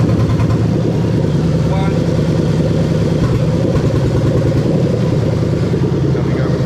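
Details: Toyota 3UZ V8 from a 2000–2003 LS430 running on a newly built harness test: deep, even burble settling into a steady idle, no misses, knocks or ticks; normal idle.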